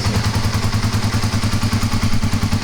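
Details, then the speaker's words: Kawasaki KLR250 single, about 4,500 original miles, cold start on choke: even, steady thumping idle about nine beats a second with no misses or clatter; running cleanly, best start so far. ">> Sounds nice. >> Sounds good. I mean, the thing runs good once it 4, 500 original miles."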